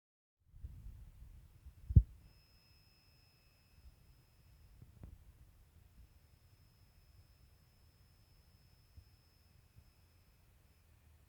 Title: oil filled heater make weird noises